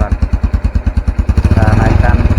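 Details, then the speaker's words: Honda Revo Absolute 110 after cylinder block replacement for white smoke (worn oil rings): idling with sharp chuffing puffs about nine a second, quickening with revs; exhaust pipe leaking slightly. "Kita lihat di belakang ya. Ini knpotnya agak bocor ya."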